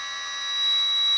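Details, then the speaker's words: Milwaukee rotary tool (Dremel-type) with electronic speed control: thin steady high-pitched whine at the 3900 Hz PWM carrier frequency as it spins up; normal carrier whine. "there's the carrier frequ frequency right there and you can hear it at uh 3900 Hertz so that's that high pitched wine you can hear when you start up tools that have that kind of control"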